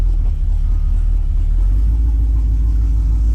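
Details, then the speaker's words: 1973 Jeep CJ with AMC small block V8 and Turbo 350 automatic, after new valve cover gaskets, fuel line and filter: a low, smooth, even V8 rumble with no ticks, knocks or misses. Oil leaks fixed; runs like a dream. "So Let's go. Yeah, she runs like a dream, man."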